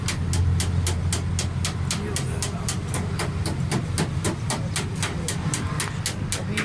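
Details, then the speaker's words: Suzuki Mehran (CNG-fitted) after repairing a point misfire and fuel fault, with the point rewired and the coil apparently replaced: steady idle with even ticking about four times a second over a smooth low rumble; runs well, normal idle. "ये माशाल्लाह गाड़ी का ज़बरदस्त sound है। Pickup मैंने रोन लगाया है, गाड़ी कंप्लीट है, सेटिंग भी अच्छी है।"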